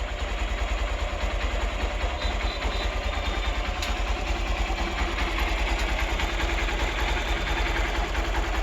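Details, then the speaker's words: Hero Xpulse 200 single-cylinder motorcycle at idle, after final valve clearance adjustment (intake 0.06 mm, exhaust 0.102 mm): steady idle with only a faint, even top-end tick; normal idle. "this is the sound of expose to hundreds engine after the final well clearance adjustment"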